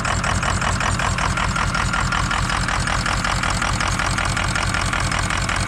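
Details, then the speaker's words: 2003 Ford F250 6.0 Powerstroke diesel just after a cold start, no blow-by: uneven, stumbling clatter with a lumpy beat about once a second, typical for its first 10 minutes. Owner suspects injector stiction and is trying an Archoil additive. "all right so i don't know if you can hear but it's running pretty rough and that's normal the first 10 minutes or so after i start this thing it is useless"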